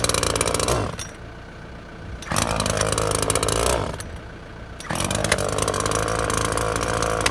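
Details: Makita top-handle climbing chainsaw, after ignition coil replacement, air filter missing, cutting wood under load: high revs drop and pick back up crisply between cuts, no stumbling; runs sweet, little chain oil until oiler adjusted.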